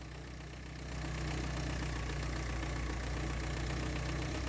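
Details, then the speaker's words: 1983 Porsche 944 with the throttle held open after bad fuel was drained, uneven lumpy beat that picks up after a second; won't idle on its own. "Yep, doesn't want to idle, but it's... Well, no, it still doesn't want to start."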